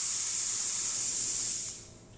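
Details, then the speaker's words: Fiorenzato Volante espresso machine after heavy scale removed from steam boiler and heat exchanger and the boiler water level probe cleaned: strong steady full-pressure steam wand hiss tapering off; normal steam output. "Steam's going to be really good now that we figured out a bit of that scale."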